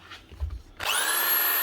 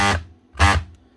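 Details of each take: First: DeWalt DW331 Type 2 corded 240 V jigsaw after repairing a snapped metal actuator part that had jammed it, speed turned up: steady high-pitched motor whir with even blade chatter; runs smoothly. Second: DeWalt DW331 Type 2 corded 240 V jigsaw (2018), customer says not running: two short buzzing mains-pitch hums with no spin-up; motor humming but seized or jammed, possibly burnt out, no sparking.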